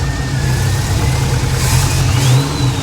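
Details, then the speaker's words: 1977 Monte Carlo being revived: under light throttle it stumbles with an uneven beat and irregular low thumps, a miss and hesitation, fine at higher rpm; owner suspects spark, distributor or vacuum advance rather than fuel, unconfirmed. "yeah sounds like it's missing when I'm giving it throttle hesitating l a little bit h"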